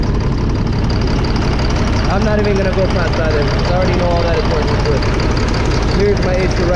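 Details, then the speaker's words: 2005 Fleetwood Discovery, Freightliner chassis, Cat C7 diesel with low power, limited to 60–65 mph. At idle, unplugging an injector gives no rpm change; cylinders 5 and 6 are misfiring, later fixed by replacing bad injectors. "who disconnected no difference in the engine rpm you could hear the good all right we were gonna go ahead and shut it off so there you have it number five and six not working"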